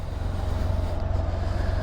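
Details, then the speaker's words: 2015 Can-Am Spyder RT-LTD with new spark plugs, running with an even, steady low engine pulse, no misses or stumbles; purrs smoothly and healthy. "she's got new spark plugs in it she purs like a"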